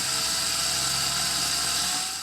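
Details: Ferrari 308 with starting and cutting-out faults, rebuilt original fuel pump connected straight to the battery for a test: steady, even high-pitched hum for two seconds, then a clean cut-off; the pump runs smoothly and is quieter than the replacement.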